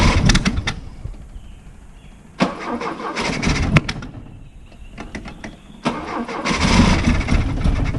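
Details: Freshly rebuilt Opel GT 1.9L engine with carburetor, points distributor, cam and ignition timing checked, compression about 140; ran fine on a test stand months ago: repeated bursts of rapid cranking with brief coughs and backfire, never catching, a hard start.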